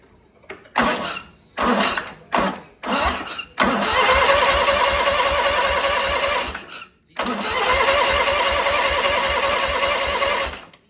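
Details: Big riding mower cranking after repair work: several short cranking bursts, then long steady fast cranking that never catches; cranks but won't start. Owner suspects a dying battery and plans to charge it and retry.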